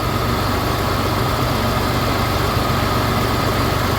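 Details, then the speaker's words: Mitsubishi 3000GT VR4 after installing a fuel pump hotwire kit, fixing rough idle from fuel starvation: steady, even idle with a smooth low hum and no stumbles or misses; engine now idles smoothly. "But it runs now and it idles smoothly."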